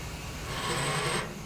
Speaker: oh you hear that turbo just just grinding in there it was running it was running for five seconds ah